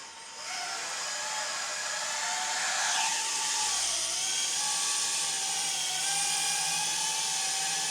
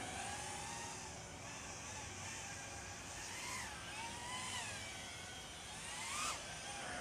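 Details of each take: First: 4-inch FPV drone taking off: high steady motor whine with a ringing note bending with throttle; prop guards and frame resonating with heavy vibration; one motor had earlier run very hot. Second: 4-inch FPV drone built as a sub-250g concept with an O3 air unit and a carbon fiber monobody prop guard, on takeoff after a possibly loose height nut was fixed: smooth, even prop buzz that follows throttle, no rattle; normal flight.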